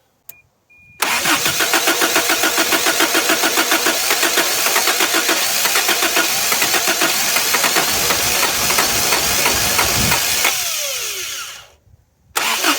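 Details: 1983 Toyota 22R (Encore motorhome) sat over 20 years, fuel poured down the carburetor: cranks, catches, runs rough about three to four beats a second for ten seconds, then dies once the poured fuel is gone.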